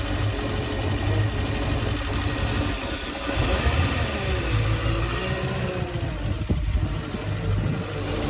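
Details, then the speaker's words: Indmar Monsoon 340 boat V8 with MEFI-4 ECU: idles fine but on revving hunts with massive corrections, pinging, knocking and a soft rev limit; ECU suspected corrupt. "At no point in time could you rev up this engine without experiencing pinging, knocking, and almost like a soft rev limit, which I can put a video up here of what that sounds like."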